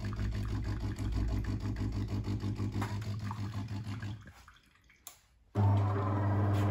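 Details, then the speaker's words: Grinding, pulsing metallic rattle (about three beats a second) from a DeLonghi coffee machine's brew unit drive, worst in the brew unit's down position, with red triangle error; unit barely moves; the gear on the drive shaft needs replacing. "in uh down position of the Brew unit it sounds very bad so if you hear such sound you need uh do action what I will tell you"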